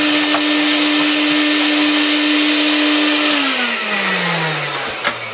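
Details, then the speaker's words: Used car-boot Vax 121 carpet cleaner on its suction head, after the Power Plus head performed terribly: steady high motor whine with airy rushing, even, then pitch sags on spin-down; suction works much better. "works much much better"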